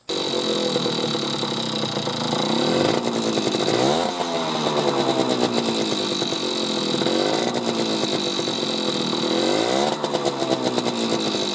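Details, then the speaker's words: Vintage Japanese two-stroke motorcycle with new, correctly installed piston, blipped from idle: harsh metallic rattle worst on deceleration just before idle; owner suspects cylinder bored to factory spec without fitting to piston, causing piston slap. "i don't know if you could hear that piston slap or rattle uh particularly on a de-acceleration just before it gets back to idle it's got a terrible rattle to it"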